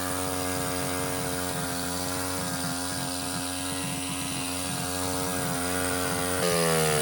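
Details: Baja 49cc mini bike, bought at auction and sat, carburetor being cleaned/rebuilt: engine holds a steady high buzz and never drops back, stuck wide open and won't idle even with throttle screw fully backed out. Owner suspects air intake; cause unknown.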